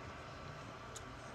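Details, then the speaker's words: Epson SureColor F2100 DTG printer cooling fan, loud for a few minutes before it drops out and goes quiet; steady rushing hum with no pulsing, rattles or scrapes, normal. "and as you can hear this is what i was talking about with the fan it gets kind of loud in a few minutes it'll drop out and go quiet"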